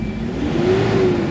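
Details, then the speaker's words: Toyota Hilux with low engine power, revving freely after XADO engine treatment. Strong, even rise in engine note with no misses or stumble; the engine pulls hard from about 1,400 rpm where before it only came in at 3,500. "Kanina 3,500 magagalit na yung makina, pero ngayon ayun yung galit niya marinig mo talaga, ibang iba na kaysa kanina."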